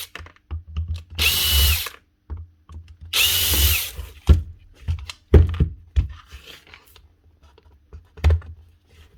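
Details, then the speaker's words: Bosch GWS 7-115 angle grinder from a fishing-boat repair box: two short spin-ups with a coarse, gravelly whine instead of a clean hum, caused by worn-out gearbox gears, which are fixable by stripping down. Worn gearbox gears. "actually gears. Look, strapped out. Not even strapped out. They're actually just worn out."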